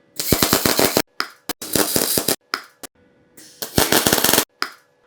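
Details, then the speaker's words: Beginner with basic MIG/MAG welder: short bursts of loud sharp pops instead of smooth frying-bacon sizzle; welder suspects wire too fast, heat too low or torch too far away, unconfirmed. "it doesn't really sound like this frying bacon it sounds more like louder pops"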